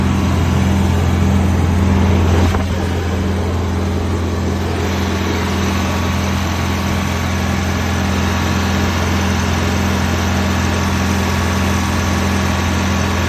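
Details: 1991 Prevost bus with 8V92 diesel, first run after sitting 10 years without starting: deep, steady drone with even firing beat after a brief rev drop, settling into a smooth, healthy idle.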